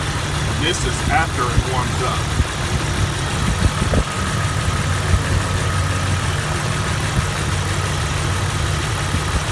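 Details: Jeep TJ 4.0 petrol six idling cold after first start-up: steady rumble with a faint, regular knock beneath it that nearly disappears once warm; ongoing over a year, owner unsure whether lifter or rod.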